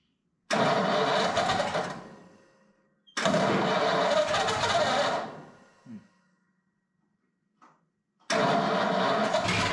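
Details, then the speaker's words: Ford flathead 8BA V8 in the Pomona Panel, converted to 12V with new points, condenser, cap, rotor and coils, first start attempt: bursts of cranking, catching a few beats but not running; no fuel seen reaching the fuel pump, fuel supply suspected. "trying I don't see any fuel going into the fuel pump so that's probably there"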